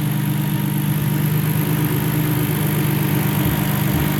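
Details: BMW E46 bottom-mount turbo six, idling after 3rd/4th gear test pulls: steady, even idle with a smooth low rumble and no knocks, misses or whine; intake cold to touch; sounds healthy.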